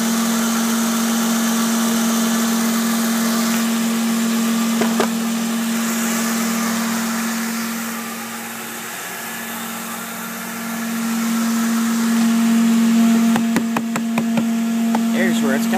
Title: Humming noise on my car.